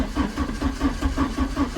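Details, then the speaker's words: 1987 Porsche 924S, first start attempt after almost 10 years in storage: even pulses as it turns over, almost catching but dying; runs very rough, plugs to be checked, one later found wet. "oh man she almost oh no way all right let's try it again see is all right we're going to have to check those plugs so since she runs really rough"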